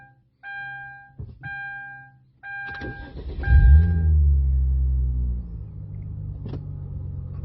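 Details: 2010 Hyundai Genesis 3.8 Track Edition with an intermittent no-start: door chimes, then a short crank; the engine catches promptly and settles into a steady idle after the door is opened and closed; this time a normal start.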